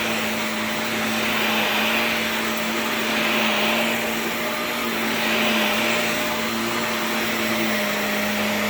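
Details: Shark NV355 vacuum after motor main pod replacement: steady, even motor whine with constant airflow hiss, no rattles or surging. Vacuum motor running normally.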